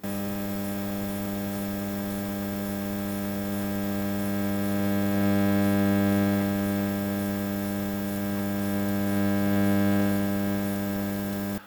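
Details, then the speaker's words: Onkyo AV receiver under repair: steady low hum with a buzzy edge swelling a little midway; rises with volume only above a certain level, so noise arises both before and after the volume control; mains hum, source still unknown. "Now, there is still a pretty loud hum in the background."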